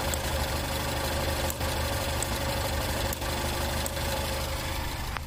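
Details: 2013 Cadillac ATS 2.0L turbo AWD with code P06DC, oil pump pressure solenoid control high voltage, from a short in the circuit: a smooth idle broken by three brief dips about a second apart as one cylinder drops out; intermittent idle stumble.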